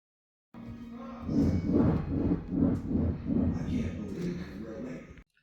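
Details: 2014–2015 Ford Explorer: rough, pulsing low grinding about three times a second while turning the steering wheel, traced to the steering gear; gear replaced.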